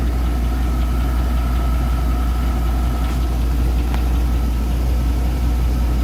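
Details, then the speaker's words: 2002 Chevy Avalanche 5.3 LS at 255k miles, after something was suspected sucked in through the PCV valve: deep idle with faint irregular tapping about once a second; owner suspects a knock, possibly bearing wear, unconfirmed. "But that sounds to me like a knock of some kind, whether it's bearing wear or something else. I don't know."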